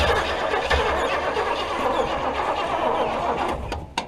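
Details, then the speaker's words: Buick 455 mud truck unrun for about ten years, with no electric fuel pump: a steady churning crank for about four seconds that never catches. It cranks but won't start, and a stuck carburetor needle is suspected. "i think you want some more gas well yeah i'll give it a little splash here i think the needle's stuck on this cart"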